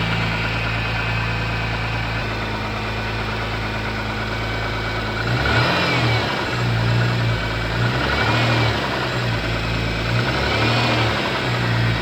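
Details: MG ZS 180 engine idling then revved in three blips; an uneven tapping about four per second follows the revs; engine knock, source unclear.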